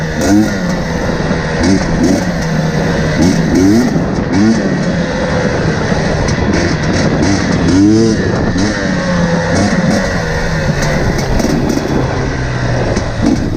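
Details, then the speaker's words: KTM TPI two-stroke after swapping the crankcase pressure sensor with the identical ambient pressure sensor: steady idle with sharp revs climbing fast and dropping cleanly, crisper low-rpm throttle response; sputtering and loading up fixed by the sensor swap. "so you can hear it immediately it's running crisper the throttle response at low rpms is really good"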